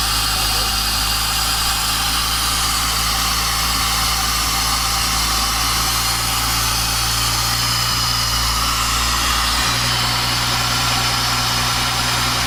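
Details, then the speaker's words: Honda Integra DC5/RSX with a new Racing Circuits engine harness, just started for the first time in 8 months after refuelling: a steady, even engine hum with no knocks or misses under heavy hiss; normal idle. "cool we have a working vehicle today just needs to basically be given a wrap"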